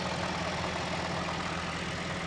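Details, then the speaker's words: 2007 first-gen Honda Fit just after a remanufactured alternator and belt were installed, idling to recharge a dead battery with no battery light: a steady, even idle with no belt or alternator whine or squeal. Normal. "I'm gonna let it sit and run, charge the battery because the battery was dead, but I'm just gonna let it run. Not too bad."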